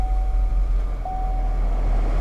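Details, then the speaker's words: Salvage-auction 2016 run-and-drive car, possibly flood car, high miles, just started: steady even low rumble with light chime, no misses or knocks. Normal idle, though it feels a tad rough on throttle and clears up. "fired right up let's turn this radio off turn the a/c down low fuel let's give it a little Rev make sure I don't hear any funny noises or anything"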